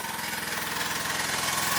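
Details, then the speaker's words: 1985 Mazda RX-7 GSL, carbureted 12A rotary, idling after the idle was adjusted: lumpy, stumbling idle with dropped beats, like running on one rotor; the owner suspects fouled spark plugs and plans to pull and clean them. "okay you see here oh it's kind of missing you can hear it's like running on like barely anything"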